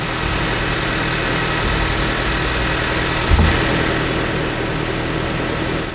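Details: Nissan Sylphy/Bluebird after replacing the weak battery with a new 48-month-warranty battery, alternator confirmed charging: steady, even idle with a smooth low drone and no knocks, misses or squeals. Normal idle.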